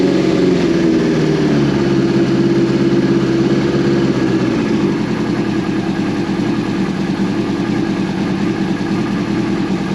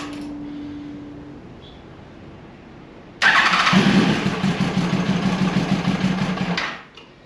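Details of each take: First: 2002 Yamaha FZ1 1000cc, first start in 8 years after gas tank cleaned and new petcock fitted: small early dip in revs, then a steady, even four-cylinder idle with no stumbling, running on its own. Normal idle. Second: 2002 Yamaha FZ1 1000cc, first start in 8 years after tank cleaning and new petcock: after a quiet crank it catches and revs roughly about three seconds, then dies; running only on starter fluid, carburetors not yet primed with fuel.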